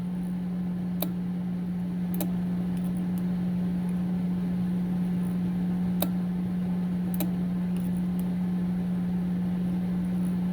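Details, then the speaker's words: Old Amprobe three-phase current recorder in time-sharing mode: sharp ticks, often in pairs, every few seconds over a steady low hum as the print mechanism marks each recording; working normally. "every time clicks that means a record in her"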